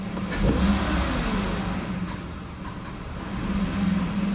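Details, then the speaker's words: 2006 Mazda MPV: after a quick throttle blip the idle sags very low and nearly stalls before slowly recovering, reproducing its start-then-immediately-stall complaint; faulty idle air control valve, which was replaced. "see how just giving a little blip of the throttle it uh it nearly stalls there we go so basically it was doing something like that where it immediately start up and then stall"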